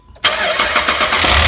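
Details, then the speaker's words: 2010 Jeep Liberty 3.7 V6 at start-up after a timing chain job with cheap Chinese tensioners: a harsh clattering rattle with a misfire, as a bad tensioner moves up and down and lets the chain slap; to be fixed by replacing the tensioner. "see how it was moving up and down when he first started turning the motor over we believe that that's the problem and that's where that noise is coming from"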